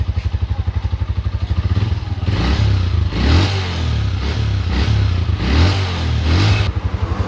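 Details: Honda TMX Alpha 125 single-cylinder motorcycle with hard starting issue, after starter wiring and relay troubleshooting and starter motor work: fires and idles with a steady thump, revs rise and fall cleanly; runs normally after repair.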